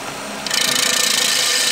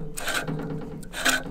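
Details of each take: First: Backlapping an old reel mower by hand: reel spun backwards against the bedknife with grinding paste, steady hissing, scraping grind at constant speed; the nasty squeaking fades as the paste does its job. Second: Reel mower after backlapping, reel-to-bedknife set lightly, only just grabbing paper: short light papery rasps as the reel sweeps past, no heavy grinding; normal light contact, set just right.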